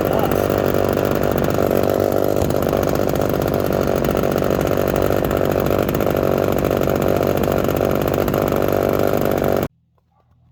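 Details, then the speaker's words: Small two-stroke chainsaw, just out of a couple of weeks in winter storage, started after priming and choking. Steady, even high-pitched buzz holding one speed for about ten seconds, then shut off; normal running. "You guys got to hear it fire up and do its thing."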